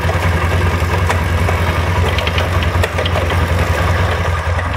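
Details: SMC 250 at steady low idle with a loose, fast metallic rattle; owner suspects a rattling chain.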